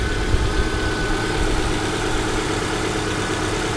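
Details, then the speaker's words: Subaru Outback/Legacy at a salvage auction, chilly day, very black oil, timing belt replacement unknown: a steady, even idle with no knocks, ticks or misses. Normal idle. "Let's go ahead and fire it up and see what she does. Well, there it is. It sounds healthy to me."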